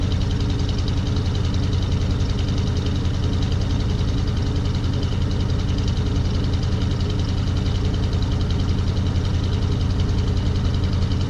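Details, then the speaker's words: Older 4x4 Chevy van, believed 350 V8 (new motor around 2011), driven 160 miles with steady temperature and oil pressure, no overheating; heavy deep steady V8 rumble, even pulse about 3.5 per second, no knocks; just loud. "It is loud. I'll start it up for you."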